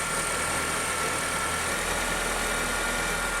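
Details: 2008 Honda New Civic, first cold start after overnight: steady even cold idle, faint constant accessory hum, no metallic rattle from belt drive; healthy, approved cold.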